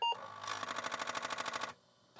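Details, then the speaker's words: Distar Apple II clone floppy drive (Disk II clone) under repair, with no track zero sensor, head moved off position then powered on. Rapid harsh buzzing knocks, about twelve a second for over a second, then quiet; head banging its end stop. "Now, we don't have track zero sensor. So, if I move that a little bit and we turn it back on, it's going to headbang."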